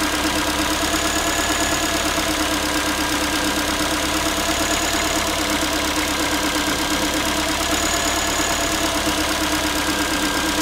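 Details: Ford Focus 3, 1.6 engine (125 hp), steady idle after a cold start: a fast, tinny, pan-like metallic rattle at about three per second. The owner is asking what it is, and the source is unclear.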